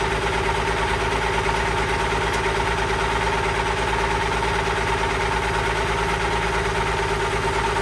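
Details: Allis Chalmers 190XT diesel tractor being brought back to life, fired up for a leak and drive test: a steady knock-free thrum with a constant thin whine, which the owner suspects is the alternator (planning a replacement), possibly the hydraulic pump.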